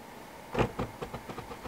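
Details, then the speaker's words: Car headlight housing being adjusted: about seven light plastic clicks in quick succession, fading as the adjuster turns; the plastic splines on the adjusting bolt are stripped and slip in and out instead of moving the aim. "not the gears but the I guess the splines of a bolt but it's a plastic piece and it's just sliding in and out so that's not allowing it to adjust to where it needs to be"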